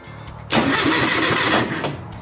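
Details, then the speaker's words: Classic Mini after fitting a mechanical fuel pump (possibly needing a spacer): about a second of even churning cranking that never catches; turns over but won't fire, still not drawing fuel. "Didn't explode. That's a good sign. Still ain't drawing fuel though."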